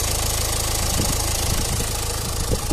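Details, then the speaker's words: Renault Clio Estate 1.5 dCi before hydrogen decarbonising, at idle: random sharp injector-type clacks over the diesel clatter; no warning lights; a mechanical injector problem is suspected, not confirmed. "alors qu'on a entendu qu'un petit claquement injectant donc si c'est un problème mécanique de l'injecteur effectivement on n'aura pas forcément de voyants"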